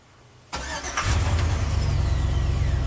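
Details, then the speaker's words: 2003 Chevy Silverado Classic V8 with an intermittent no-crank and theft-deterrent start enable fault: starter whirs briefly, engine catches at once and settles to an even idle; normal crank and start. "there you go perfect starts and runs fine"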